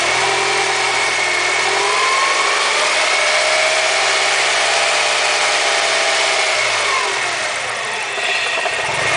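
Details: BMW E36 with M42 engine after a timing chain replacement: steady idle carrying a high, wavering whine over a faint rhythmic beat; an abnormal engine noise whose cause isn't clear.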